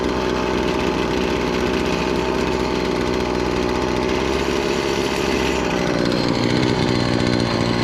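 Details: Stihl FS70R two-stroke string trimmer after repair (bogging and no power traced to a fuel mix with far too much oil, clogged spark arrestor and gummed carburetor, carburetor cleaned): high buzz holds revs steadily while cutting, no bogging or surging; normal running under load.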